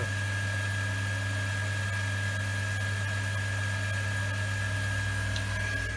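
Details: Workshop rainwater recycling pump after repair, running to build pressure before bleeding air and cutting out: steady low quiet hum with constant high whine, smooth, no surging or rattles; healthy.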